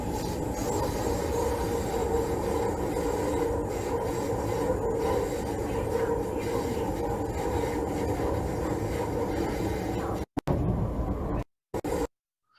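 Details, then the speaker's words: Train at 55 km/h through a three-turn S-curve track: intermittent roar of rail corrugation noise around 460 Hz with a higher-frequency flange-rubbing squeal at each turn, separated by quiet periods. "At each turn there is flange rubbing noise and corrugation noise. The corrugation noise is around 460 Hz. And the flange rubbing noise is at higher frequency."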